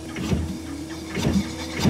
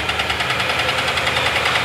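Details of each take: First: Used refurbished replacement engine for a 2018 Nissan NV3500 van during a compression test: steady cranking with strong, even compression strokes, about two puffs a second, reading 200 PSI at 200 RPM; this cylinder holds good compression. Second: 2018 Nissan NV3500 van, about 60,000 miles, with sludge from lack of oil changes, revved slightly: rapid, sharp metallic knocking rising with speed, a connecting rod about ready to fail.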